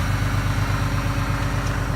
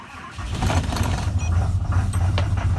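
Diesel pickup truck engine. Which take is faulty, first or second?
second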